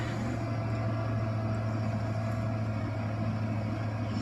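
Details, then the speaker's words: 1993 Ford F-150 5.0 302 V8, cold start in snow after sitting a month or more, fires right up on the key: steady, deep, even burble at idle, no knocks, ticks or hunting; healthy normal idle. "well it's got battery juice yeah look at that just hit the key fires right"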